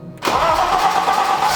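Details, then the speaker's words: BMW E30 325i first start after work, no coolant, front parts off, spewing transmission fluid: catches within a quarter second and settles into a steady, even idle with no misses or knocking; sounds healthy. "so that sounds so good oh my gosh that's crazy"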